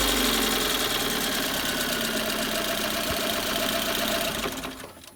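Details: Engine being revved with a sharp regular knock about four per second that fades as revs drop; valves and timing chain checked fine, new spark plugs, source unknown.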